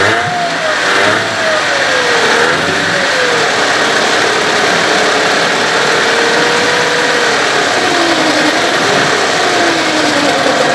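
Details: Evinrude/Johnson 15 hp outboard running steadily after driveshaft swap: wavering mid-pitched whine over the engine note, less bad than with the other driveshaft but persisting; source not pinned down, motor deemed parts.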